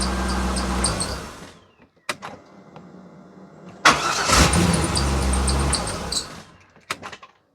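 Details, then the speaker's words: Rarely used vehicle started from a 4500 A portable jump starter without the battery connected: cranks, catches and runs with a thin high chirp over the engine at startup, owner attributes it to belts from sitting; belt squeak at startup. "so of course belt squeaks everything I got squeaked because it just sits here all the time"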